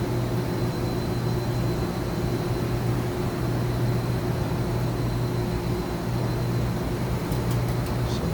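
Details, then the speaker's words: 2013 Mazak HCN 4000 Mark III CNC horizontal machining center, Y-axis full 23-inch ball screw stroke at 25% rapid: steady low hum, an even unbroken drone with no knocks or grinding; way covers working, axis travel normal. "nice full stroke of the ball screw, 23 inches of travel. Way covers are working good. Everything sounds good."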